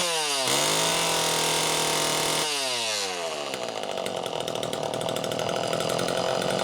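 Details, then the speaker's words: Super EZ Automatic chainsaw on its second test run after being hosed out and inspected. It revs up crisply, settles to a steady high buzz and bogs evenly into the cut, with no misfire or surging. Clean, normal running. "That's all I've got to say about that is wow. Talk about cool. This is as close to new in the box as most any of us are going to see."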